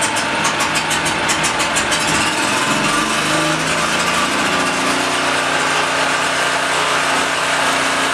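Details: Blue Max Gen4000B generator after cleaning, clearing fuel paths, opening valves, clean spark plug, air filter and casing refitted; pull-start chatter then catches and settles into an even steady hum, running properly.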